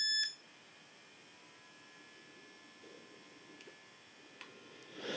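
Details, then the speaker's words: Fatshark HDO2 FPV goggles cooling fan after maintenance of the noisy fan, switched to full (second) speed: beep, then faint steady airy hiss with thin high whine, audible but quieter than before. "bieg jest już praca jego słyszalna Ale co najmniej nie aż tak bardzo jak wcześniej"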